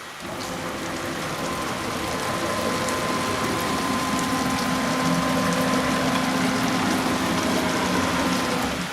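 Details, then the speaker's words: Onefinity Gen 2 Journeyman CNC jogging at Fast speed, squared and oiled per maintenance guide: steady high stepper whine, faint hiss, light tinging from the ball screws; owner calls stepper and ball screw sounds 100% acceptable, normal running. "But I'm going to tell you, the sounds that I hear from this machine, the stepper motors, the ball screws, and so on and so forth, are 100% acceptable."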